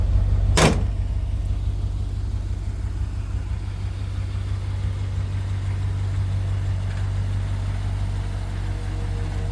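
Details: 1966 Chevrolet C10 after a cleaned fuel tank, new fuel pump and new hard line to the carb, which still needs a rebuild: a single sharp clack at start, then a deep, steady, even idle with no misses or knocks.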